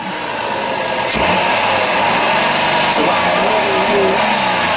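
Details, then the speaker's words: Dodge Caravan, 140-some thousand miles, after new spark plugs and wires; engine climbs cleanly and holds near the rev limiter with no stumble, misfire or knock, no blue smoke, healthy. "make sure it doesn't stumble oh yeah that sounds like a brand new van right there"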